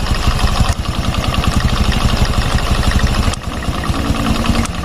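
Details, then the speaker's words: Fuel-injected Revo Fit scooter idling, knocking from the right-side engine clutch area: rapid, irregular "koclek" tok-tok over the engine beat; primary/secondary gears and clutch housing stay still, so fault traced to the spinning centrifugal clutch shoes (kampas ganda). "koclek koclek koclek nah ini berarti masalahnya ada di bagian kampas ganda ya secara logika gitu"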